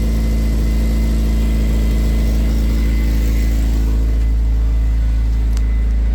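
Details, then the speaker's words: Honda DC5 exhaust broken apart, kept at low temperature: loud, raw, blatty idle with coarse chuffing pulse about three per second; exhaust blowing badly, yet sounding like it did before it fell apart. "C it's blowing bad so like really [ __ ] bad but what's mad is the fact that despite the fact that it's blown really bad it now sounds like it did before it actually fell apart"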